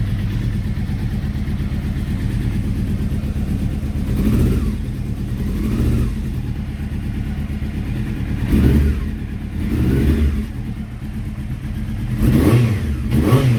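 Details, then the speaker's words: Honda CBR600F, first start after reassembly: uneven, lumpy idle with surges on blips, as if missing on a few cylinders; cylinders three and four run much hotter than one and two; ignition tested, carburettors removed to investigate. "almost like it was missing on a few cylinders"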